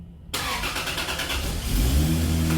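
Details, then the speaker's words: Turbo Lexus IS300 first start on an ECU Master Black standalone with plug-and-play harness and Injector Dynamics ID250 injectors; brief crank, catches at once and settles into a smooth, even idle with no misfire, normal start. "Oh, good sound right away."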